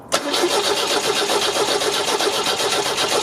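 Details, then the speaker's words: 1974 MGB after new spark plug wires: starter cranks about four turns per second with no firing at all; no spark because the distributor came out when a plug was pulled and needs reseating. "sounds like there's no spark at all oh great"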